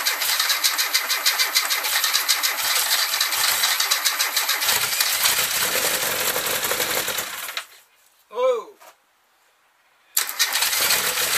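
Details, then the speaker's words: Classic Mini 1380 engine with Piper 649 camshaft, first start: rough, stumbling idle with an irregular beat before it dies; misfire traced to one spark plug with a closed-up gap. "all right sounds like it's got a bit of a misfire so i'm just going to take the plugs out i'll check then we'll be back in a minute okay one of the plugs was um closed up a little bit that's what it's missing"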